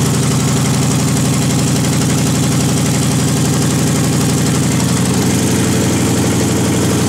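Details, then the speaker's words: GM 5.3 V8 on engine test stand, MicroSquirt fuel and spark, open headers without gaskets, idle air open: steady fast idle with even, slightly rough open-pipe beat; engine working properly, just idling high. "that's it it's working good"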